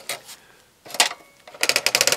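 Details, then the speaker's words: Paraffin heater that won't switch off fully: with the lever held down, turning the wick dial gives crisp light ratchet clicks in short bursts, about eight a second; normal wick dial ratchet with return spring behind it. "so we hold down that lever and just turn that dial and you can hear it clicking and behind this wheel there is a spring"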